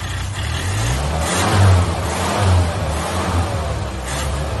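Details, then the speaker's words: 1983 Ford Ranger 4x4 unstarted for about two years or more, running on fresh gas after priming: steady rumble picking up cleanly on throttle blips, no misfires or knocks; running fine. "well I'm really happy that it fired up running Vine"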